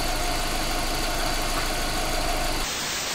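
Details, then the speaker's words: Subaru boxer engine after swap, first start: steady even idle with smooth low rumble, no knocking, misfire or shaking, no check engine light or errors; running healthy. "ВС работает работает очень хорошо никаких чеков ошибок троей какого-то ещё там дрыга в общем всё отлично"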